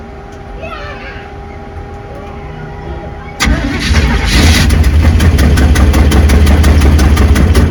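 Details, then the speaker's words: V8-swapped 1972 Mazda B1600 just after first start: engine catches after a quiet crank and settles into a fast idle with a steady light rattle; noises traced to a missing alternator bracket, otherwise expected to run decent. "I hear some noises inside the tramps dude all narrowed down to needing an alternator bracket but I think it should run pretty decent"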